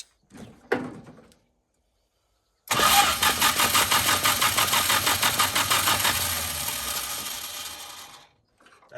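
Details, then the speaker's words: Dodge D300 dump truck after new NGK plug wires, plugs gapped at .035 and a compression test showing about 120 psi per cylinder: fast, rough-sounding starter whirr, then the engine fires and runs evenly. Normal start. "sounds good that starter sounds wild"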